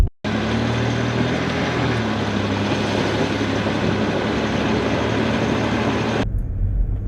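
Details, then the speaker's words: Range Rover Sport L320 on a test drive after replacing both rear anti-roll bar drop links, which had caused a rattle over bumps: continuous road and tyre rumble, no knocks or rattles from the rear; suspension healthy. "Yeah, that's definitely better. No more rattles. It's night and day."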